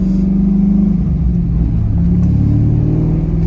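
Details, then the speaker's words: C5 Corvette 5.7L V8 with SLP cat-back exhaust and Magnaflow tips, after serpentine and AC belt replacement, revving in first gear: deep, even rumble swelling and falling, no rattle or misfire; healthy, throaty exhaust. "it's a nice thing about the SLP exhaust it's deep it's a deeper exhaust than a Corsa which is a higher-pitched exhaust nothing wrong with that it's just a different sound I've always loved this catback"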